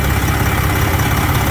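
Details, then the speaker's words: 2007 Freightliner Detroit Series 60 14L diesel, over a year after backyard rebuild, driven daily; steady even idle with firm low beat under loud cooling fan, no knocks or misses: healthy idle. "Damn, I wish the fan wasn't running. It's so loud."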